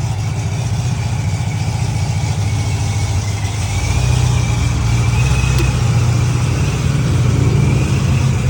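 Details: C6 Corvette idling after all injectors were replaced (one stuck open, fuel in the oil) and an oil change; before this it cranked but would not start. A deep, even idle, with revs rising slightly partway through; no misses, ticking or knocking, so it runs normally.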